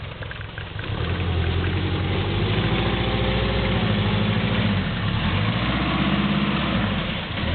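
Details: GL turbo driving through mud: rough running with a loud steady low knock about three or four a second under the engine note; rod knock, engine on its way out but still running.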